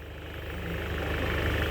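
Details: 2005 Volkswagen Jetta diesel, owner unsure whether petrol was put in: starter cranks on steadily with a low churn, never catching or firing, described as sounding very deep; crank-no-start, fuel pump suspected, not confirmed.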